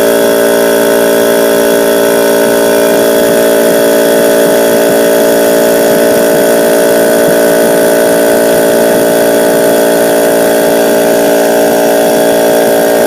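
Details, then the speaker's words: Husky air compressor that made a noise and tripped the house breaker, after the motor was freed to spin: a steady, even motor-and-pump hum with no knocking, stalling or labouring; it now runs well. "porque lo conecté y al conectarlo como ven en el vídeo trabajo bien"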